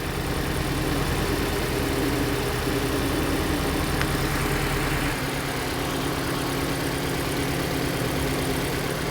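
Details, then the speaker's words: Hyundai Elantra idling with code P0267 for the cylinder 3 injector and the oxygen sensor reading lean. Uneven idle with a lumpy, stumbling beat; misfire caused by the unplugged cylinder 3 injector connector. "الماكينة تفرق، الكشاف واضح. هاي تفتح. هنا واضح انه قاعد"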